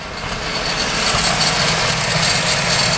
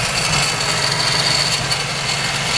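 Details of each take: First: Mazda RX-7 FD Type RS rotary after replacing a broken 15 A fuse: the secondary air pump now runs, a steady rushing whir over the still rough, backfiring idle. A metallic noise seems to come from the belt area. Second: Mazda RX-7 FD Type RS rotary idling after broken 15 A fuse replaced and air pump restored: uneven lumpy hum with fluttering exhaust; rough idle and backfiring persist, metallic noise noted.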